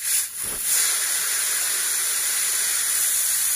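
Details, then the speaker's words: Polytron two-door semi-inverter fridge not cooling, compressor clicking, compressor line opened: steady sharp hiss of refrigerant rushing out; freon still present, so no leak in the system. "kita periksa Apakah freonnya masih ada masih ada teman-teman ya"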